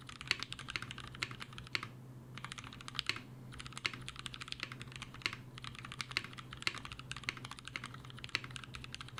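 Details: Mechanical keyboard switches lubed with laser printer fuser grease (T2 plus T3 blend) as Krytox alternative: quick bursts of soft even keystrokes, muted clacks, no scratch or ping; smooth lubed typing.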